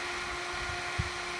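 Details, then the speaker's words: Mean Well SE-450-24 24 V switching power supply with nothing connected, before the fan was swapped for a smaller one: a steady, loud, high-pitched fan whoosh that never changes speed. The fan always runs and draws 1.4 W. Loud cooling-fan noise. "getting worse when it's like inside the power supply [Music] it's really powerful a fan and by the way it always runs and consumes 1.4 watt like constantly"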